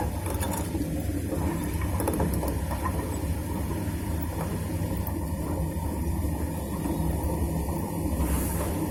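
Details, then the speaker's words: Super General SGW16100N washing machine, about two years old: a loud, deep, rough helicopter-like rumble with a fast choppy beat. The motor turns but the drum doesn't; the drum bearing has failed, its balls have fallen out, and there is play. "इसका तो बेरिंग पूरा निकल गया है। हाँ, जो बेरिंग में होता है ना ऐसा, जो बॉल्स वो सब निकल गया है, तो दिखाई दे रहा है पूरा।"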